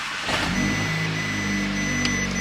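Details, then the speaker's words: Audi S3 with a swapped-in VW Golf R engine and S-tronic gearbox, first start after timing chain rebuild, coolant side not yet reassembled; quick crank then smooth, steady idle with faint electrical whine, runs clean. "well the engine ran really nice and smooth then um so gamble has possibly paid off"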